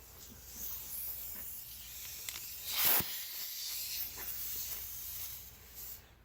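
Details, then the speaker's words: Air line hooked to a Harbor Freight swivel air coupler after replacing its O-ring: faint continuous high hiss with a brief louder puff mid-clip; the coupler is fixed, and the small leak is in the air line itself. "the airline leaks a little bit so if you hear that it's what it is"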